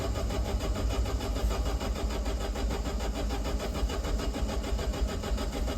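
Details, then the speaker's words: Alfa Romeo Spider, key on, cranking: starter turns steadily at about a hundred rpm but the engine never fires; spark checked and absent, immobilizer blamed; crank no start, no spark. "That's the sound of a car with no spark, and I know it's got no spark cuz I checked. And I further know that that's the immobilizer."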